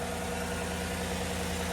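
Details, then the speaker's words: 2015 GMC Sierra 1500 5.3 L V8, just started after the thermostat and temperature sensor were replaced, with about three quarts of antifreeze lost and a little smoke, probably from spilled antifreeze burning off. It gives a steady, even V8 idle rumble with no knocks or squeals; the fan no longer runs constantly, so it is fixed. "there you go. That fixed it. That fixed it. So, no fan is constantly running."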